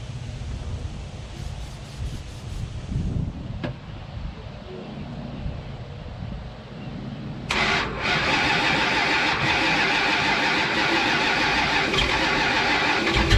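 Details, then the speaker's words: 1970 Charger 383 V8 with an oversized 950 Holley 3-barrel carburetor cranks and catches into a loud, lumpy, uneven idle; flooded and running very rich, carburetor settings not yet adjusted. "No, the engine sounds like absolute hammered dog shit. It's running pig rich for reasons I can't even explain. I mean, obviously it's way too big of a carburetor for a little 383, but yeah."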